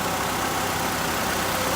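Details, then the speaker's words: 2012 Nissan Altima after serpentine belt and splash guard replacement: steady, even idle with no squeal or chirp; new belt drive running quiet and healthy. "So before you just go taking off down the road, make sure you let it run a few minutes, make sure you don't hear it squealing, making any funny noises."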